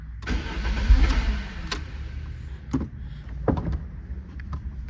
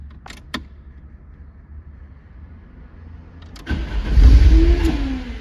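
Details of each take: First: 1993 Lancia Delta HF Integrale cranking: starter churns with weak firing attempts but never runs; no fuel pump sound heard from the rear at key-on, fuel system suspected. Crank no start, likely fuel starvation. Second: 1993 Lancia Delta HF Integrale after replacing the fuel pump for a no-start: starter clicks, engine catches with a rising rev flare and settles to a steady, even idle; starts cleanly with fuel pressure restored.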